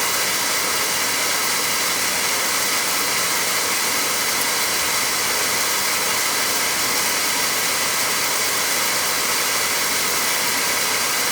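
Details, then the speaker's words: Oil-fired boiler that ran out of oil, being bled: during a purge cycle after restart, a steady, loud roaring hiss with no steady flame note as the burner purges a lot of air from the starved oil line. "Now it's going to go on a purge cycle. Give it a good purge. Get the oil air out of it. There's really a lot of air in that sucker."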